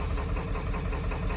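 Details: 7.3 Powerstroke diesel truck started after sitting 10 years, fresh oil, oil filter and fuel filter: little shaky, noisy idle with a lumpy, uneven beat like an occasional miss; owner guesses injectors, also suspects the IPR, no live data to confirm.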